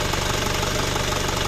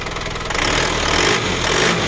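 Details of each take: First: Isuzu Panther Kapsul diesel, rebuilt engine with previous ticking noise, after refitting the large timing idler gear, tested using a borrowed injection pump: steady even idle, usual light clatter, ticking gone; healthy. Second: Isuzu Panther Kapsul diesel, rough noise despite two engine overhauls in a month (new crankshaft fitted, later broke): harsh, rapid clattering rattle over the idle that never settles; worn timing idler gears with free play.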